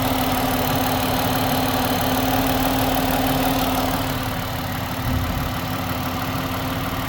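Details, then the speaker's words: 2011 Ford Escape, automatic throttle, warming up: rough idle with a steady mid-pitched drone rising with revs and fading as they drop; owner suspected rod bearing or timing, timing chain seen spinning fine, source unclear, heard more as oil warms and thins. "let me see if I rev it cuz I'm starting to hear it now you see like when the car gets warm oil gets thinner"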